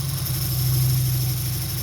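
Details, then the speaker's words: 2003 Dodge Neon 2.0, rough after timing belt replacement and head rebuild: low, loping, uneven idle while plug wires are pulled off the coil one at a time to find the dead cylinder. Compression 190 psi on all cylinders. Misfire on two cylinders, coil suspected. "If it doesn't make a difference, then that's the cylinder that's dead. Or the coil is no good."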